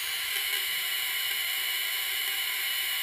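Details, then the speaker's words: Half-scale Olds hit-and-miss model engine's scale buzz coil with points closed: steady unbroken high-pitched buzz with even hiss, no dropouts; correct sound, coil should be giving spark to the plug. "the points close and they complete the circuit if it doesn't sound like that you're not going to be getting any spark"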